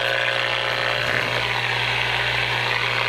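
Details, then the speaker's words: Running microwave oven radiating RFI into nearby radio: loud steady hiss over constant low buzz; noise falls as radio moves away but stays substantial, raising household background RFI. "which goes away as a move away but still quite a bit of noise it adds to the overall RFI noise noise field in your house"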